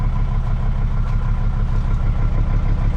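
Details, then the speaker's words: Jeep WJ 2.7 CRD (OM612) diesel after a cold start, showing zero oil pressure, hunting rpm and white smoke: a clattering idle with an uneven beat, stumbling about twice a second; it sounds like a misfire, with injectors suspected. "this is the engine this is what it sounds like sounds like it's missing and um it's very W in yeah"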